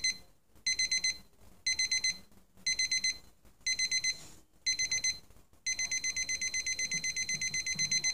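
Clusters of quick high beeps about once a second, then nonstop rapid beeping: the alarm stepping through its stages as it should.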